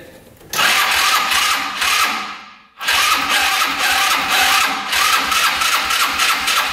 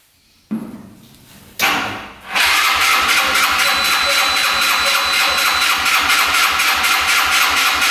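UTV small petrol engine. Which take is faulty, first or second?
second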